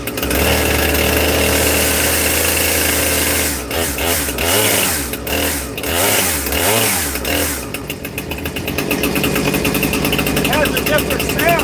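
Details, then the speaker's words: New Husqvarna 460 Rancher chainsaw, first start out of the box with the decomp used and choke off; it seems already tuned. It starts after a few pulls into a crisp two-stroke buzz that picks up cleanly and holds steady. It runs normally. "Sounds like it's running really good right out the box. So, that's that's nice."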